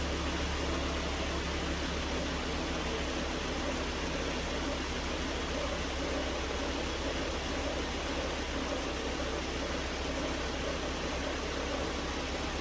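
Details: 2009 Volvo S40 T5 AWD R-Design, flood-damaged Copart car, alternator idler pulley had failed, low battery on a charger: steady even low hum with no misses, knocks or rattles; engine runs smooth, normal idle.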